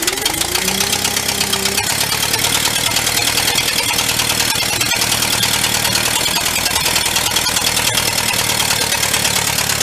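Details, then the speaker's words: Vintage air compressor's engine running: loud raspy run with sharp ticking about three times a second; exhaust manifold leak suspected, possible intake leak (wet fuel seen), unconfirmed; loud exhaust noise. "That is loud. I may try to, maybe we could take that cap off of there. Because it's probably going to even just take out the microphone on the camera."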